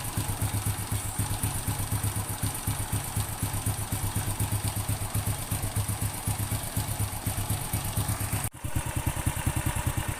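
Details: Honda Supra X 100 (C series) after replacing worn rear cam chain tensioner roller on magneto side, which had caused a knocking sound at idle: steady, even single-cylinder idle putter, no cam chain rattle. Normal idle after repair.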